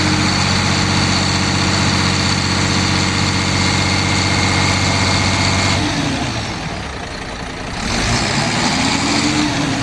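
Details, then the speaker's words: Mercedes Econic bin lorry diesel with suspected high-pressure fuel rail/fuel pressure problem, being revved up. Steady even idle climbs smoothly into a rev and settles, no stumble or cutting out; seems to be pulling its own diesel through. "Now, I'd like to think it's now pulling its own diesel through, because it would cut out by now if it wasn't, because the amount of fuel that's in the filters, it won't run that long."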